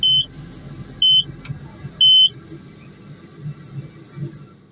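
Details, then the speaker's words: Takeuchi TL12V2 at -30°C, warming up; three sharp high beeps a second apart over soft idle, then silence: unexplained fault code; owner plans key-off to clear it, cause not confirmed. "and what I was reading most of the error codes on here can be cleared by uh basically just doing a key off we will see"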